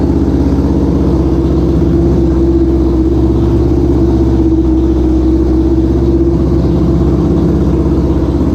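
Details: 1973 Honda CL350, restored from a non-running basket case and kick-started: smooth, steady twin-cylinder drone at an even pace with no knocks, misses or rattles. Normal running.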